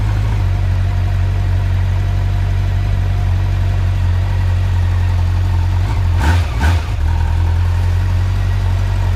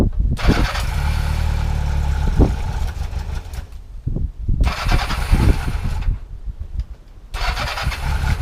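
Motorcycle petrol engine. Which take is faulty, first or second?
second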